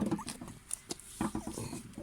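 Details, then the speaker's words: Hand-turned Atco GT30 ride-on mower deck spindle (blade shaft assembly) gives an uneven, gritty scraping and clicking, unlike the quiet right-hand spindle; worn bearings, so the spindle assembly is to be replaced. "but yeah that sound means the bearings are on the way out it should be smooth and quiet so we're going to replace that one"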